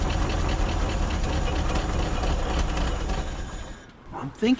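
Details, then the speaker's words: 1950s Ford F5 tow truck, long abandoned outdoors, with the air filter refitted: the engine chugs unevenly for a few seconds, sags and dies. The carburetor is suspected, with fuel leaking from the accelerator pump and gas all over the engine. "that this carburetor is probably the culprit now"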